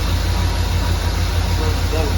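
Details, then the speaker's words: Chevrolet Silverado squarebody V8 after Holley Sniper EFI install, first start following power cycle and parameter checks: steady even low rumble with regular firing beat, no knocks or misses; idling smoothly, running like a champ. "well gang I'm gonna call it a success I got a little nervous borrowing trouble which you should never do but I read the instructions some more went through all the parameters had to cycle the power on and off again and man is she running like a champ so"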